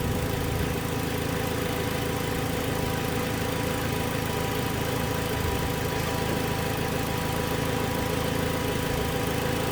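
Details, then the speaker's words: 2007 Toyota Tacoma 2.7 four-cylinder at idle during scanner injector-kill tests. A dull lower-end knock roughly twice a second sounds worse with injector 1 cut. Cylinder 3 is also suspected, and teardown revealed a spun connecting rod bearing. "so we're going to use a scanner to individually kill injectors and see if the knock diminishes it actually sounds worse when we kill injector one"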